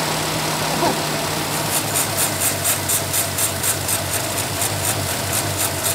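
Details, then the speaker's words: 1989 Chevy S10 with 2.5L Iron Duke four-cylinder and 5-speed, abandoned about 22 years, started by remote trigger on little gas: steady, even idle with light ticking on top, no misfire or stumble; normal idle. "champ yuck hey runs good"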